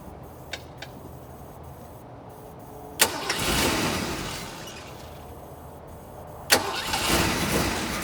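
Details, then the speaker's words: 1986 Ford Mustang GT 5.0 V8 field find, sat for a long time, injectors never pulled, new air filter, still blowing debris from tailpipes: two sharp catches, each flaring into a quick rev then easing to an even settled idle; healthy start and idle. "but I fired it up and I'm super pumped this thing runs it does an idle worth a flip"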